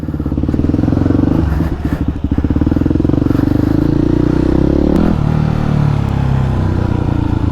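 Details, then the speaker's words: Yamaha WR250X supermoto on test ride after fixing a kinked fuel line that caused cutting out under full throttle: the single thumps rapidly and evenly as the throttle opens, pulling cleanly with no stumble or cut-out. "so so so much better this is how it was supposed to run"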